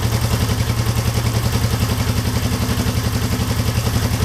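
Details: 1972 Honda CL350 twin with one spark plug disconnected during carb synchronization: steady, even thudding of one cylinder at a fast settled idle, no misses; normal idle.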